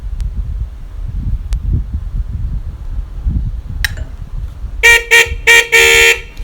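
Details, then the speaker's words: Honda CD 70 motorcycle horn, old, after adjusting its screw: four short blasts then a longer one, each a clean, steady, bright tone with no rasp or sputter, where before it sounded faulty; normal horn tone. "कितनी मीठी सी आवाज़ बन गई इसकी।"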